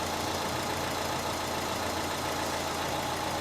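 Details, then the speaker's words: Renault 1.5 dCi diesel after repair, started with the microphone near the engine: an even, smooth idle with a soft steady clatter, no knocks or misses; runs perfectly, no fault codes detected. "there we go that there's now running taking over perfectly"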